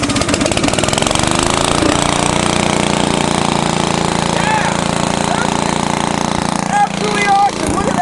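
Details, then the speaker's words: 1970s Briggs & Stratton generator engine built for Princess Auto: single cylinder catches and settles into a fairly steady buzzing run without misses or clatter; runs well, though the carb is dripping fuel. "Well, there we go. We got that to run. Seems like she runs pretty good."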